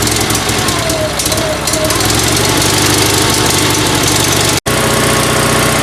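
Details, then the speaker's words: Sears Suburban SS16 tractor twin-cylinder engine, previously firing on one cylinder, now with rebuilt exhaust ports and running on both: steady, deep, loping, Harley-like idle with no misses. Normal idle. "it sounds great it almost sounds like a Harley surprise surprise"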